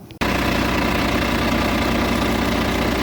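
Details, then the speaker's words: 2013 DAF CF 75 diesel truck that cranked but would not start, after repairing a broken B2 wire between bulkhead plug and ECU: it catches at once and holds a steady, even, smooth low idle with no misfire or stumble. "Half the codes that we had have disappeared, and so hopefully we'll kick it in the guts and it will start."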